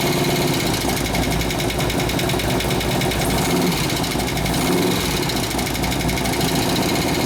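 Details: 2004 Harley-Davidson FLHT touring, 88 Twin Cam, first run after sitting, with fresh gas and new oil, before the cam tensioner bearing repair: lumpy idle with a busy, rattly ticking on top, possibly from the cam side.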